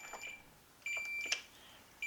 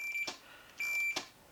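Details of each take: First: On a 1992 Arctic Cat snowmobile, a tester is wedged in as the throttle is moved to check the throttle safety switch and ignition safety circuit. A high, clear meter beep comes in repeated bursts of varying length; the safety circuit shows continuity. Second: 1992 Arctic Cat snowmobile, ignition and safety switch diagnosis: two clean high multimeter beeps with clicks between show continuity through the throttle safety switch.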